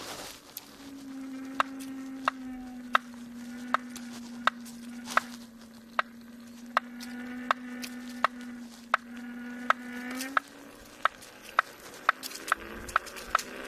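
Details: Kingsong S22 electric unicycle with a new motor: sharp regular knock about once a second over a steady motor whine, quickening as the wheel speeds up; knocking inside the hub motor.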